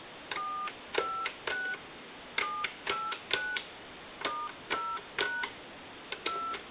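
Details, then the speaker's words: Western Electric 2500 telephone after upgrade from a bad coil touch-tone keypad to an electronic keypad: clean, even two-note DTMF beeps, about a dozen presses; dials properly. "So we know that this telephone has received, transmit, it's dialing out, and it's ringing in on a ring cycle."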